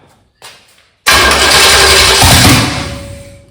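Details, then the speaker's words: 1985 Chevy Camaro 400/406 small-block V8, first start in over 20 years after reseal and new balancer: short cough then loud rough burst dying within seconds; fires but won't keep running, owner suspects timing adjustment needed. "Still doing the same thing I was doing in the yard."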